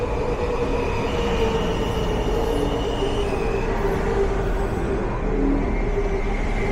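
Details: WMATA 6000 Series train pulling slowly into College Park Station: a thin squeal wandering in pitch over the low rumble; suspected wheel flange squeal, not confirmed.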